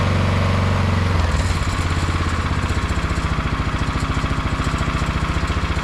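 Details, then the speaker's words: 22-inch MTD Yard Machine snowblower, owner thinks 5 hp 179 cc, after the carburetor main jet was drilled out to cure surging: after a brief blip it settles into a steady, even chug with no rise and fall. "Well, I think we're going to call this one done. It seems to run pretty good now that we've done that that mod to the jet and drilled that jet out to smooth out the surging."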